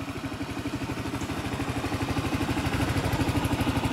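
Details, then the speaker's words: Used Honda Reflex scooter with a four-stroke engine and about 13,400 miles, at idle: a quiet, even putter at about three beats a second with a steady rhythm and no knocks or rattles, a healthy engine. "We're gonna start it up. It's a four-stroke engine. It's very quiet."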